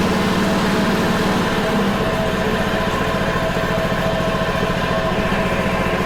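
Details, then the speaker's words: Honda HRC216 commercial-grade mower that had sat in storage, started in cold weather after a suspected stuck float/flooding; a quick, even single-cylinder putter at steady idle with no misses once the choke comes off, a normal idle. "huh well it idles it starts choke comes off so far so good"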